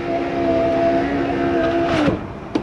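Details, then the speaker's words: 2004 Nissan Armada power window motor lowering the glass very slowly. Thin, labored hum sags then cuts out as the motor dies. Owner suspects worn brushes or a bad contact; regulator being replaced. "pero vean estaba bajando muy lentamente quiere decir que ese motor ya la verdad fuerza ya no tiene mucho y ya ahí hace murió lo que pasó lo mismo"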